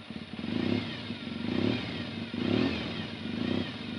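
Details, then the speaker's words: Yamaha XTZ 750 motorcycle after recent mechanical work: engine revs cleanly up and back, no ticking or rattle under the exhaust note, no leaks; runs well. "tout cas ça tourne bien il n'y a pas de fuite je suis très content"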